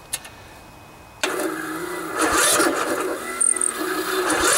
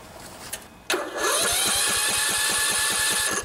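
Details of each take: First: 16 HP Briggs & Stratton single-cylinder OHV engine on a riding lawn mower, chilly about 40°F, new charged battery; starter grinds slowly in laboured heaves, won't catch; hard cranking, too much compression, valves most likely need adjusting. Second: 16 HP Briggs & Stratton single-cylinder OHV riding mower engine after valve adjustment; short crank, catches quickly and settles into steady even beat; much better, normal start.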